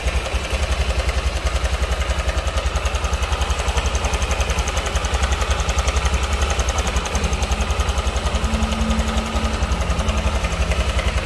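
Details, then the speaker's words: Honda Vario scooter idling with a steady rough clatter on the firing beat; worn cam chain tensioner letting the chain rattle, to be replaced without engine teardown. "Oke dan ini dia yang akan kita ganti ini adalah tonjokan keteng atau Tensioner"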